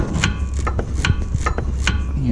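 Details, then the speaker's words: VW MK6 GTI front sway bar, end links removed (18 mm nuts): repeated short creaks as the bar is worked by hand and turns in dry bushings; fixed temporarily by lubricating, though the bar should be replaced. "So what happens is the sway bar moves inside the bushing and it causes it to creak."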